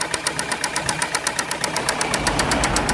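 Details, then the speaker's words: 2004 Ford Transit Connect 1.8 diesel, 132,000 miles, hard to turn over: sharp regular metallic knock about four per second over idle from start-up, lots of white smoke; head or head gasket suspected, not confirmed. "2004 54 Transit Connect when we ate diesel to 132 thousand miles with engine noise code start up hard to turn over probably hearing noise already straight away"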